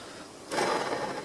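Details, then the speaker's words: Pre-service bike check with the chain off the chainring and the crank spun. A dry, gritty rasp from the bottom bracket bearings, which are very dry and noisy with no side play, likely assembled with little grease or washed out. "And then if we can, if possible, we just pull the chain off the chain ring so we can spin the crank and just listen to the bearings. Yeah, they're noisy,"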